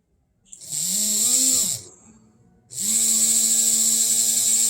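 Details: Buzzing whine climbing in pitch, dropping away, then returning strong and steady as a seized 1950s/60s Japanese die-cast HO 4-4-2 Atlantic steam loco motor, bench-powered from a supply, spins freely with lots of torque after teardown.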